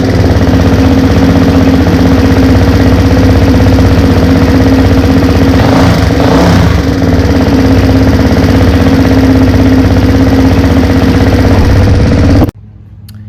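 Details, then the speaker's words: Honda 400EX engine just rebuilt (top end, valves adjusted, repaired head stud thread) on first heat cycle; steady single thump at fast idle with a brief rev blip, even, no knocks or misses; carb thought rich, tuning pending. "so we're able to get it running and it seems to be running pretty good as of this moment"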